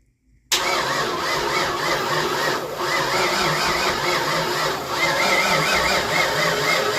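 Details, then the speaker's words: 1988 Ford Mustang GT, first start attempt since 1999, long crank: steady starter whine with no catch or firing; crank no start with no fuel pressure, fuel pressure regulator suspected, leaking at its threads again. "Still not getting any fuel pressure. Oh man, not this again. We're clearly having an issue with the fuel pressure regulator again."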